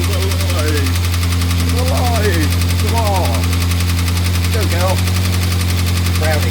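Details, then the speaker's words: Morris Minor 1000 just started after a long break: low steady drone with a faint uneven beat, running rough while still cold; cause not confirmed. "As soon as I managed to get it started after a bit of a fashion, but she's going."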